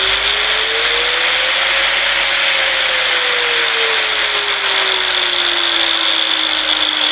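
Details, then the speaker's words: Angle grinder with internal potentiometer speed-control unit: high motor whine climbs in pitch as speed is turned up from minimum, then eases back down, smooth with no rattles; normal variable speed operation. "හරි. දැක්කම speed එක control වෙන විදිහ."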